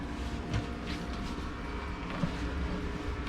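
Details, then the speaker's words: Diesel heater on a Jeanneau Merry Fisher 895 boat: steady low fan drone as the burner fires, with the diesel pump ticking and pulsing; normal operation. "and you can hear now the fan running and the uh heating system firing up under there if you just listen you can hear that ticking noise that's the uh diesel pump there which is ticking"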